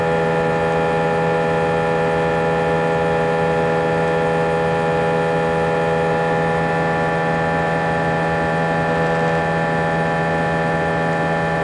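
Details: A320 cabin during takeoff: a loud, steady, heavy drone with strong low humming tones, and vibration felt through the seats for the whole 5-hour flight. Intercom announcements were drowned out and passengers felt something was wrong. The abnormally loud engine noise has no known cause.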